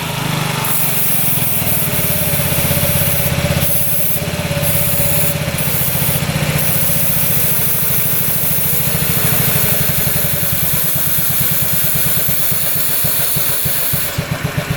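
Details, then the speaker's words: 2006 Honda Metropolitan two-stroke scooter (also listed as 2007), idling after a new carb clamp was fitted: uneven, hunting beat around four pulses a second, boggy and unsteady; intake air leak suspected, possibly a damaged carb boot. "Still really boggy. Let's see if there's an air leak."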